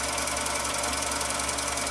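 Even, quick mechanical ticking at a steady pace with no binding or grinding: the sewing machine runs free and smooth.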